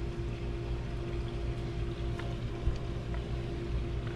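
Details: Garden watering setup with an Orbit B-Hyve wifi faucet timer on the house hose: loud, steady rushing hiss with a constant low hum, water flowing hard through a restriction; owner suspects smaller piping and may need bigger pipe, cause unclear.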